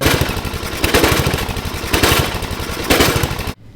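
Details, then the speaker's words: 1998 Murray Widebody LT riding mower, single-cylinder 12.5 hp Briggs & Stratton: rough running with heavy thuds about once a second and the whole engine banging and shifting from a loose engine mount; fix is bolting the mount through with washer and nut. "should alleviate our very rough knocking banging noise that we have if I was running it earlier I could see the whole engine shifting and moving around"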